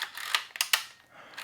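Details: Mamiya 7 rangefinder shutter fired repeatedly at a slow speed (about 1/8 s): short crisp paired clicks as the leaf shutter opens then closes, checking for the electronic misfire fault; the shutter is firing properly.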